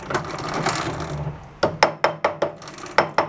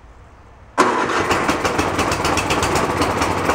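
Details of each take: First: Free roadside snowblower, drive chain with stuck links freed and oiled, turning slowly at working speed: sharp, evenly spaced ratcheting clicks. This is normal chain noise and much better than before. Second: Free roadside snowblower started choked on fresh gas: the small engine catches, then its speed rises and falls instead of settling; the carburetor is hunting because the idle circuit is dirty, and the fix planned is removing the idle screw and blowing it out.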